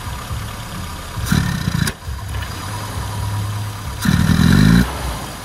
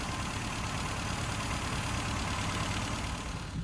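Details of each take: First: Rover Cabriolet with Mini Cooper A-series engine conversion and SU carburettor: lumpy uneven idle stumbling between two throttle blips; retarded ignition timing and empty dashpot, fixed by advancing timing and adding dashpot oil. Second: Classic Mini after fitting a 0.8 ohm coil in place of a 3 ohm coil and new BP6E spark plugs replacing four-prong plugs, now starting on the button; steady even idle, firm low rumble, no misfire; normal idle.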